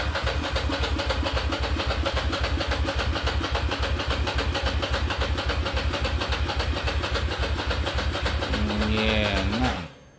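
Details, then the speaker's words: Ducati Monster 695 café racer build, first start attempt after rewiring, new ignition coils and HT leads, fuel tank drained: steady rhythmic cranking for about ten seconds that never fires; cranks but won't start, possibly very little fuel. "i obviously drained the fuel tank so there may be uh very little fuel in the tank i'm just gonna give it a turn over now and see what happens"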